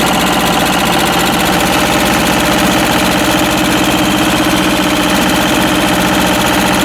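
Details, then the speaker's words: Westwood lawn tractor's Ruggerini twin-cylinder air-cooled vertical-shaft diesel, previously hydrolocked, after repair; steady, busy clatter holding an even speed with no misses or knocks, running healthy. "But hopefully now it's just a perfectly working diesel engine. As I said, they're so economical. They really are good."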